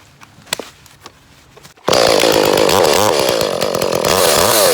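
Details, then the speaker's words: Echo CS-310 chainsaw, about six to seven years old, after replacing a faulty spark plug, cutting wood: snaps to a high steady scream and holds speed through the cut without bogging or surging; running right. "okay got the new spark plug in it seems to be running better"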